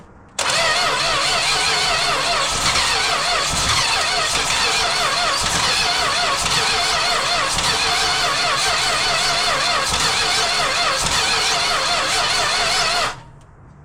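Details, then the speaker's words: Classic six-cylinder project car, after starting fluid sprayed into the carburetor: long ragged cranking that never catches; owner suspects only two cylinders are firing, perhaps stuck valves from old gas. "So, it's like probably trying to fire on like two cylinders. I bet it's got some stuck valves in it from like old gas and whatnot."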